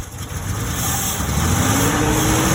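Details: 2003 Ford F-150 at idle: hiss and thin rising whistle over an uneven idle, a horrible vacuum leak at the intake manifold, with misfire.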